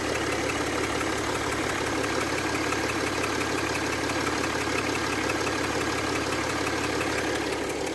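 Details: Mercedes ML350 W164 after repair of radiator fan always running on full and ACC not communicating: steady, even idle with constant hum and no fan roar, AC on; fan no longer running, engine normal.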